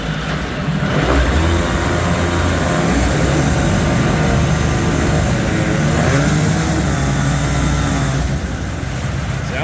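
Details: 25 hp Mercury outboard on a tank test after carburetor rebuild: a strong, steady run that picks up cleanly and holds even, with no stumble or miss. Healthy run-up.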